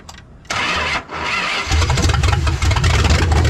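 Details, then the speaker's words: 1970 Dodge Charger 383 four-barrel, original carburetor refitted in place of the Carter and timing slightly retarded, with coolant and carb fuel leaks: brief crank, then the V8 fires into a lumpy, low, farm-truck idle. Runs well, better than with the Carter. "It's all like wah, or well, farm trucky like rah, rah, rah. Sounds like it's running pretty good now."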